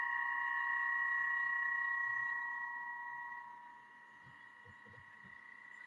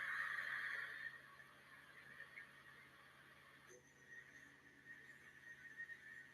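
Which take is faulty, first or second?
first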